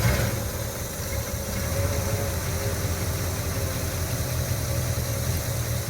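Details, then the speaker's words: 1972 Chevy C10 402 big-block V8, unrun nearly 30 years after 1997 flood, with rebuilt carburetor: settles into a steady, even idle with a deep smooth rumble, no misses or knocks; normal idle. "right? It's alive. I'm happy."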